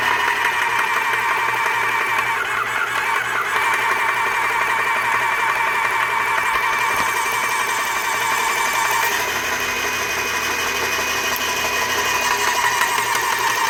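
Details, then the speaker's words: Graco airless paint sprayer running with intake in a bucket of water, prime valve off to build pressure after filter-housing O-ring repair: steady motor drone with fast, uneven pump chatter, no seepage but not reaching maximum pressure; worn pump packings suspected. "Alright, well we don't have seepage, but we're not hitting maximum pressure either, so apparently he's got a bad set of packings."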